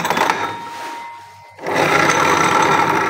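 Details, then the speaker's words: 2015–2016 Honda Beat FI ESP scooter, CVT opened: dry, rough grinding rattle as the rear wheel is turned by hand; the CVT pulley shaft is rough and the rear sliding pulley wobbles badly. "oke teman-teman di sini teman-teman bisa melihat bagian as pully CVT ini ya kalau mekanik bengkel putar rodanya dia kasar nih"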